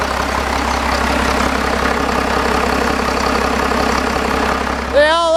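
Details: 5.9 Cummins diesel started after replacing valve cover gaskets and lift pump gasket; steady, even idle with smooth rumble, no knocks or misses, running healthy, siren wailing near the end.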